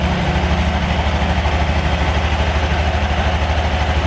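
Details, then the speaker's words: Honda Genio scooter idling just after CVT cleaning and reassembly: smooth, steady low idle pulsing evenly about twice a second, belt not flapping, no slap or rattle; quieter than before, drive side healthy. "yung natin, belt natin, hindi siya pumapagpag. Meaning, okay. Siya tahimik. Mas naging tahimik siya ngayon."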